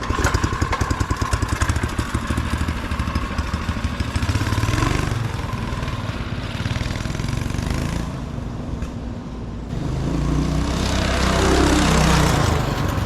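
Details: 1970s Bonanza mini bike repowered with a Predator 212 engine, new exhaust not yet heat-wrapped, belt changed: small single thumping at a steady fast putt with crisp exhaust bark, revs rising near the end; runs clean and healthy.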